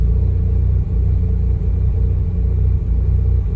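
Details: Mazda RX-8 rotary that stalled unless throttle pressed, during idle relearn after reset, about 10 minutes in: low, lumpy burble, slightly uneven but holding without stalling; idling on its own.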